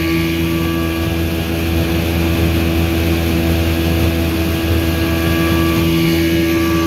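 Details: 1984 Evinrude 6 hp two-stroke outboard on a lake test under load, after washed-out crankshaft splines were replaced with a machined hex-socket drive and the telltale hose cleaned: a strong, steady drone with no misfires or surging. Healthy, reaching 14 mph.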